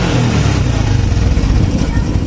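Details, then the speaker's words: Honda Supra X 125 fuel-injected single after tune-up, ECU reset and fault codes cleared, started without throttle: smooth, even idle with a steady beat and no misses, rattles or hunting; normal idle. "Udah enak ya teman-teman nih."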